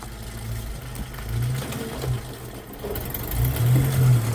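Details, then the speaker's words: Jeep TJ: rough idle with a loose, uneven metallic rattle over the low engine note; timing chain very loose and sloppy, rattling. "The timing chain is rattling like nuts. It was very loose and sloppy."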